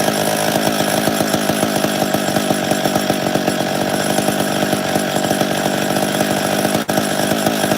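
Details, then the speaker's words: Chainsaw (850) that should start well and idle clean runs at a fast, busy pace with a rough, uneven firing rattle; bar oil got sucked into the cylinder during storage and is coming out the muffler, needs fixing. "I think the cylinder's got bar oil in it now looking at that it's coming out the muffler"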